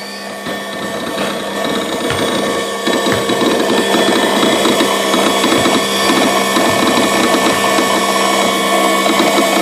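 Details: Brand-new Genie AWP-30S lift: steady motor hum with uneven clicking, about two a second, like a solenoid or relay cutting in and out. It persists after one return to the retailer for repair; cause not confirmed.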